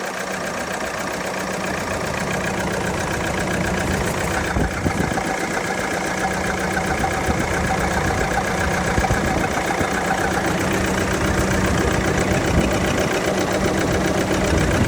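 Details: Ford Transit 2.2 diesel van idling with a loose, uneven chatter and a beat that stumbles now and then; misfire, owner wonders about engine damage.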